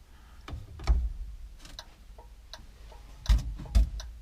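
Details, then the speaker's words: 1961 Ford Falcon, 144 straight-six, abandoned 20+ years, key on after starter relay replacement: faint sharp ticks about twice a second in quiet cabin, turn signal flashing on dash. Normal turn signal flasher ticking. "sounds like we got a turn signal you can see it kind of flashing in the dash there and oil light"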